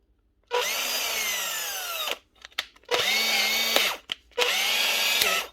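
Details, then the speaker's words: Older Panasonic brushed-motor cordless tool (EY74 series) with customer complaint of stopping dead: three short bursts of high motor whine, each cutting out abruptly; brushes to be checked as suspected cause. "this customer does say it wasn't running stop dead clearly running now so causes a brushed motor we'll check the brushes"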